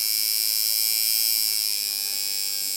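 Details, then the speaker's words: Watson coil tattoo machine after the contact angle is corrected so it no longer sparks: a smooth, even high buzz with a steady rhythm and no crackle; running properly. "that's one way to tune when you don't see the spark anymore you're doing something"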